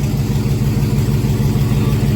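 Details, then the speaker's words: 2001 GMC Sierra 1500 HD V8 idling after injectors were cleaned again and a blown fuse replaced restoring dash lights and gauges: uneven, lumpy pulse with periodic stumbles; misfire at idle still present. "Yeah, I still got a misfire in it."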